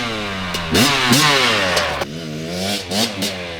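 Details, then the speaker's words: 2019 KTM 250SX two-stroke, Lectron Billetron 38 Pro carb, revved in the driveway/yard before tuning: crisp clean blips, no bogging; runs fine at light load, though it detonates when ridden at speed on track. "so there we have it she runs pretty good at least just putting around the yard"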